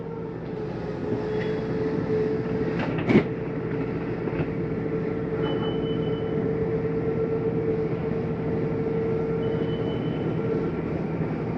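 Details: 2024 Flagstaff Shamrock 233S hybrid travel trailer, slide-out being brought in with the slide-in switch: steady electric motor drone with a constant mid hum and light clicks. Normal retraction.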